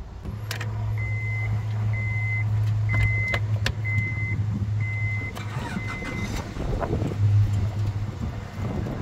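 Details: Honda van with 250,000 miles, dealer-serviced Honda battery and a new-looking starter: it starts and holds a steady, low, even idle with no knocks or misses while a door chime beeps. The engine sounds healthy.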